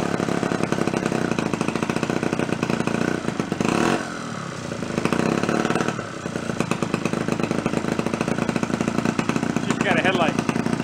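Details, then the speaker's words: Centaur 49cc folding suitcase scooter, two-stroke, first runs after 40+ years stored: fires on a couple of pulls, rapid steady popping at full throttle holding its beat through a brief dip; normal running. "Fired up. Runs full throttle. Shoots across the garage."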